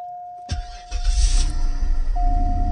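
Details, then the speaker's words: 2003 Cadillac DeVille DHS, engine cover off, under diagnosis for a running problem: after start a steady low brrr hums under the cold idle, the secondary air pump running as it should; normal. "hear that brrr noise? That's the secondary air circulation."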